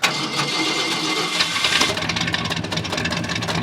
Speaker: it does have that good V8 Rumble originally this had about 300 horsepower and it's got dual exhaust